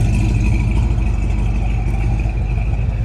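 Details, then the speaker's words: 1969 Plymouth Road Runner V8 first started after 25 years parked, pulled out of tent, wiring likely needing replacement: deep, even low rumble at idle with steady lope, no knocks or misses; sounds healthy. "Man, she sounds good. I don't know if you can hear that deep rumble. Man, that sounds good."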